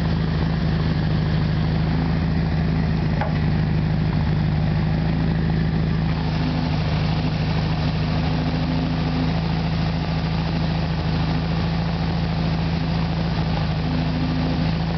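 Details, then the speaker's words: Rebuilt original 1600cc air-cooled flat-four, about 150 miles since rebuild, in a 1973 VW Super Beetle, just after carburetor cleaning and idle adjustment; fires right up without pumping the gas and holds a low, steady, even idle around 800 rpm, no stumbles; normal idle. "shift now go ahead and start it let you guys listen to it fires right up"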